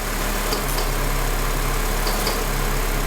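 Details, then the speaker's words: A Honda Element at idle, with its A/C compressor clutch relay pushed back in, adds an even low drone once the compressor kicks in. The clutch engages, and the compressor runs normally. "hear the compressor? So that's how you're going to check the compressor clutch coming on and off and the fan relays."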